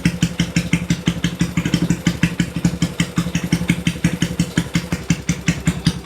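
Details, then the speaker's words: Kawasaki Binter Merzy carbureted motorcycle, cold start with the choke removed. Idle starts fast and lumpy, thumping about three times a second, then drops and stabilizes after a few seconds, indicating the pilot jet is slightly too big. "Ya, tadi teman-teman sudah mendengarkan ya, ketika pertama sekali motor ini dinyalakan, itu RPM-nya tuh terdengar tinggi, brrrr gitu ya. Lalu setelah beberapa detik, dia baru mulai turun dan mulai stabil di RPM yang idle, ya artinya di posisi langsam."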